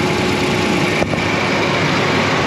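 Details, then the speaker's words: 2016 Dodge Ram 1500 5.7L V8 after exhaust repair for cold-start exhaust leak tick: restarted, steady even idle, no ticking or puffing from the manifold; normal idle, exhaust sealed, no leak. "all right good to go I hear no exhaust Leakes zip silk notada zero this is good"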